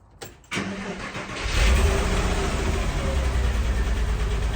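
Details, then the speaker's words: Porsche Boxster with six new spark plugs fitted but the rear coil on the driver's side deliberately left unconnected. The engine cranks and settles into a lumpy, uneven idle from one cylinder not firing: misfire at idle. "i haven't connected up the coil at the back of this side on the driver's side which will cause a misfire so listen to this and this is what it will sound like"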